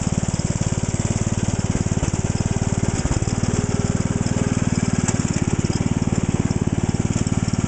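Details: Cold-started lawn tractor small engine chugging at about four pulses a second with skipped, uneven beats, clearly missing; fuel filter already replaced and carb cleaned, new plug and air cleaner planned. Cause not yet confirmed.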